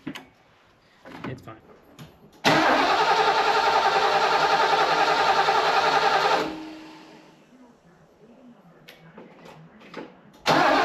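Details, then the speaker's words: Big-engined classic truck started cold with a jump starter, battery not connected: catches after brief cranking, runs loud and steady at a fast even cold idle, slightly too high, idle adjustment pending. "but the idle Cod idle is just a little high"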